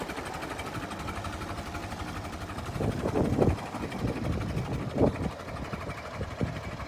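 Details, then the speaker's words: Late-1955 Farmall Super MTA diesel tractor, about 200–300 hours, at low idle around 350–400 rpm, barely turning over: slow, even, rhythmic percolating chuff with no hard knock or miss; normal healthy idle. "You gotta love the sound of that. Look at that, just barely turning"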